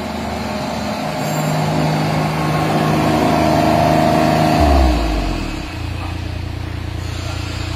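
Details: Derette XC1100 tracked loader on concrete, after fix for track resonance vibration: steady engine drone and even track hum dropping in pitch as it slows, no shudder or resonance; running smooth.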